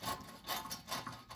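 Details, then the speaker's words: 1984 Mercedes 300SD W126, rear axle removed and turned by hand: coarse, gritty crunching in repeated rasping surges. Failed rear wheel bearing with shredded races, which caused noise from the rear end while driving. "show you what a bad wheel bearing sounds like nice and crunchy kind of like you know that captain crunch cereal that rips the roof of your mouth to shreds it's kind of like that except we're ripping the"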